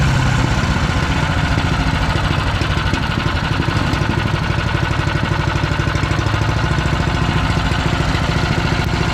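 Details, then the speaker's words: PowerMate 212cc wood chipper engine, used once, after removing material wrapped inside: loud, even, steady run with no misses, knocks or surging; runs normally again, fixed. "yeah guys so this thing do work um I call that a fix"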